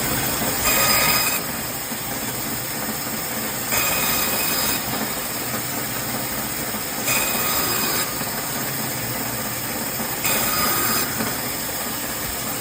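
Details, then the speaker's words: Refurbished BIRO 3334 band saw, 3 HP TEFC motor, V-belt, 124 x 5/8 in blade at 3,200 ft/min, set for 1-inch cut: even motor hum and bright hiss with louder rasping surge about every three seconds while cutting; normal operation. "It's fitted with a 3 horsepower TEFC motor turning a non-slip V-belt."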